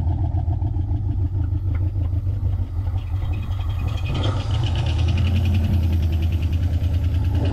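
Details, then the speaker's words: 1987 Ford Mustang GT convertible, sat 25 years in the Florida sun, fuel pump not pumping and fuel lines likely bad, runs about 30 seconds on sprayed brake cleaner, possibly flooded; loud, uneven, surging idle with a couple of ticks. "it actually runs not bad [Music] [Music] really running off that brake clean there we go all right so I might have flooded it a little bit with the brake clean but it actually allowed the thing to run for a good 30 seconds there"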